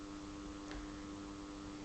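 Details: Tempest TEQ-3302 radio cassette on mains power with volume turned right down: low, steady mains hum, absent on battery power; traced to an open coupling capacitor at the amplifier input, which was replaced.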